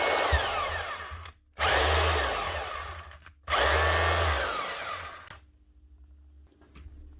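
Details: Makita HR2611F SDS drill from 2012, burnt armature, after fitting a second-hand armature from an HR2610: two short runs of smooth steady motor whine spinning down cleanly, no grinding or sparking; repaired, running normally.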